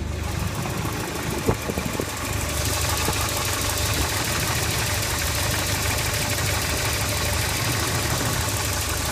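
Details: Volvo 740 with B230FT turbo petrol engine idling with a lumpy, stumbling misfire and rough idle; high AFR reading is due to the LC1 wideband sensor being set for LPG.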